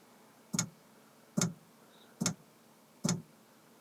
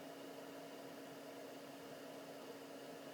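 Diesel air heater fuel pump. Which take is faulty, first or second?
first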